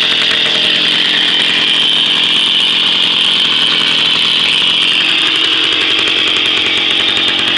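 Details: Jawa 50 type 05 moped, 1966 two-stroke engine, very first start after 20-year storage, rebuild and assembly, no cold break-in, original contact-breaker ignition and never-replaced coil; high buzzy steady ringing with crisp even exhaust beat, running cleanly: normal running.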